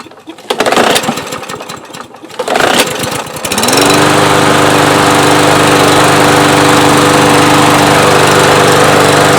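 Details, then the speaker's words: Newer Briggs engine on a Yard Machines mower, after starter rope and recoil spring repair and an oil top-up: catches after two or three recoil pulls and settles into a smooth, even run with no misses. "I've noticed that it takes about 2 or 3 poles to start these newer Briggs"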